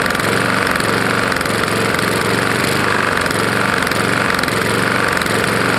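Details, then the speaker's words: Roadside-found Lawn-Boy mower, 149cc non-OHV engine, owner suspects bad lower end, spark plug showed ingested dirt and grass: runs rough with uneven knocking beat under exhaust buzz, sounds like hitting the head; engine knock, cause unconfirmed. "it sounds like it's hitting the head probably is"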